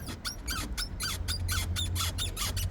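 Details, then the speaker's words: Aipas M1 Pro e-bike (03 error code, grinding in pedal assist), stopped and pushed up and down with forks locked out: sharp high squeak about four times a second on each push; owner thinks it is not the drivetrain, suspects suspension or fenders, not confirmed. "you can hear the squeak. So, I don't think it's a drivetrain issue."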